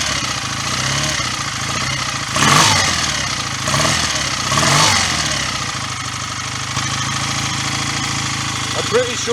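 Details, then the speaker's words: BSA A65 twin just after a full top-end rebuild with new piston rings: settles into a steady, even idle between sharp throttle blips, runs clean with no misfire or rattle and no exhaust smoke; normal running. "so I'll keep it running. We'll run it for a bit longer and just make sure."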